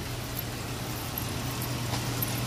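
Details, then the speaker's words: Car idling after a cheap engine oil flush and fresh oil: soft smooth low hum at idle, no ticking or knocking; motor runs a lot quieter than before. "you can hear the motor is running a lot quieter"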